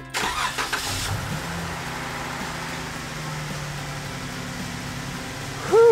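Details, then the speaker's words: 2013 Jeep Wrangler Unlimited Rubicon JKU started after an oil cooler replacement, with no coolant yet: brief crank catches cleanly into a smooth, even idle with no knocks or ticks. No oil pressure light; sounds healthy. "I don't have coolant in it yet, so I don't want to run it too long, but there's no oil pressure light. It sounds good."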